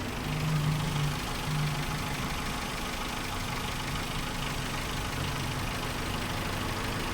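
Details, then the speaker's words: 2017 Suzuki Carry pickup, first owner, never converted to gas, city-driven: quiet, even idle with a soft steady hum and no stumbles or misses; engine healthy. "ไม่มีสะดุดเลยครับเงียบกิ๊บเลยครับผม"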